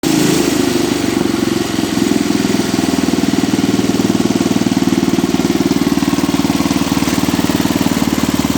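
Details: Cub Cadet 86 small engine at a steady, even idle with no rattle or whine after running 10 to 15 minutes with the starter-generator belt disconnected; the owner suspects the earlier noise came from the starter-generator bushings or bearings.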